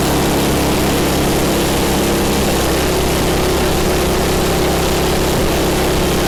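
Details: MTD snow blower small single-cylinder engine, owner-reported governor issues, after governor spring repositioned: holds a steady, even run with no hunting or surging; governor and mixture sound properly set, normal running.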